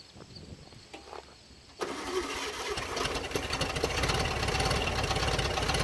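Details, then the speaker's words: 1967 Volkswagen Beetle revived after long sitting: quiet cranking, then ragged, irregular running only on the accelerator pump; fuel starvation, with the tank to be drained. "definitely only running on the accelerator pump. If I pump it a lot, you know, it probably puts enough fuel in the intake where it's kind of running off the fumes of the excessive amount of fuel. So I think we have fueling issues at the moment."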